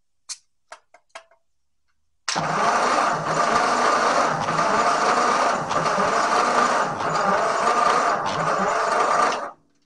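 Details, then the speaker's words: 1944 Ford 2N tractor cranking on the starter after ATF soak in cylinders (readings about 85, 55, 75, 60): steady even cranking, no firing; compression still low on some cylinders, valves suspected not seating. "all right so compression is better but still pretty low at least on some of the cylinders"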